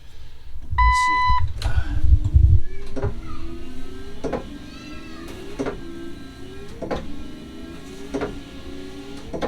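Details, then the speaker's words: Jeep Cherokee XJ under rebuild, washer pump tested after filling the reservoir: a short, steady half-second electric hum with no grinding as the front washer squirts normally. "There we go. Turn on. Okay. Squirt, squirt. Oh yeah. Oh yeah. We got some squirtsy squirts."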